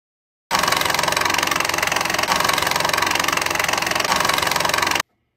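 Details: 12-volt virtual pinball shaker motor run without screw pressure on its enclosure; it buzzes hard with a fast, uneven chattering rattle as the loose case vibrates against its unclamped lid, an enclosure rattle from a loose motor mount.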